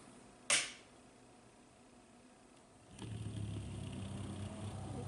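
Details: Coolermaster V8 CPU cooler 120mm fan: after a click it starts with a rough buzzing low hum and rattle, a badly vibrating fan; sealed bearing can't be oiled, fan should be replaced.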